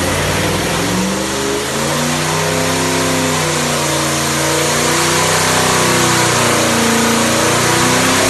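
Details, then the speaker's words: 434ci Pontiac V8 on the dyno with a small cam (229 at .050, about 600 lift), ARP head studs, making 600 hp; deep note climbing smoothly as revs rise, clean with no knocks or misses, healthy full-throttle pull. "All right, so you could hear how not very radical engine at all. You can hear it idle at the end there, just kind of a chop chop idle. Fairly mild engine."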